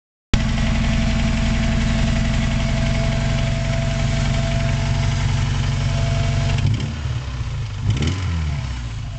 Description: 91 accord with 2.2l vtec engine running with a rod knocking.